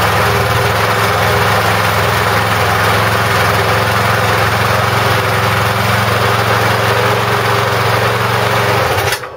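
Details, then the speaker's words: McCulloch mower with Briggs & Stratton engine, non-runner fixed by replacing a carboned-up spark plug; steady buzzing single-cylinder run with no misses, then winds down. Normal running. "Perfect. How about that? For the sake of a £3 spark plug, the guy has sold it to me for £10 and spent £250 on a new one."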